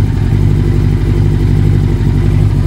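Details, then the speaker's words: Yamaha YZF1000 Thunderace 1000cc four-cylinder, warmed up after restoration: deep, loud, even exhaust burble at steady idle, no ticks or misfires; normal idle. "I mean it sounds amazing listen to this exhaust"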